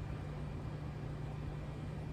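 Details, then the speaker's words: 55 Buick with turbo LS, twin PCM-triggered fuel pumps: in-tank pump running alone with fuel filling surge tank and returning to main tank; steady low even hum, no surging or whine, no leaks seen; normal fuel pump operation. "the pump sounds steady in the tank so so far so good I don't see any leaks"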